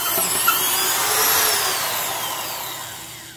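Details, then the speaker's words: Black & Decker Professional 1309 1/2-inch drill, 4.5 A, 600 rpm, sleeve bearings, driving an auger: high motor whine sinks steadily in pitch as the auger bites; underpowered motor bogging under load. "And surprisingly enough, this thing is half the RPM and seems to bog down just about as much, just because the 4.5-amp motor is, you know, adequate for a 600 RPM half-inch drill, but it isn't great."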